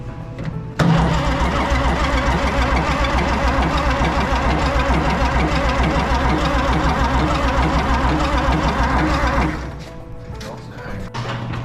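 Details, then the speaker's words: Oliver Super 88 tractor after sitting 20 years, cranking: starter turns it over at a steady, slightly uneven chug for about nine seconds and it never catches; it later proved to have low compression. "Still wouldn't start, still wouldn't act like it wanted to start, nothing. So come to find out, it didn't really have much compression."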